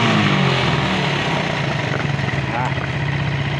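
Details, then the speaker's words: Suzuki Satria FU carburetor motorcycle after fixing carburetor diaphragm spring that was installed upside down: now starts on one kick, throttle opening picks up cleanly and returns to steady even idle without stumbling or dying; sounds normal. "Motornya menyala, suaranya normal."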